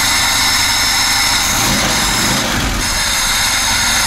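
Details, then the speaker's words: VAZ 2107 carburettor engine that lost its idle, on restart: steady idle at normal speed with an even beat, no hunting or misfire, before mixture screw fine-tuning. "во-первых обороты обороты нормальный для хвостово входа оборотов То есть если бы было бы много я бы убавил мало Я бы прибавил"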